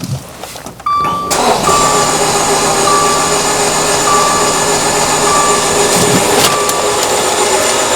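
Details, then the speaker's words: 2015 Dodge Dart 2.4 L with an intermittent no-start (starter and battery already replaced): the starter spins fast and even with no compression pulses or firing. "hopefully you guys could hear that sounds like there's no compression in this engine"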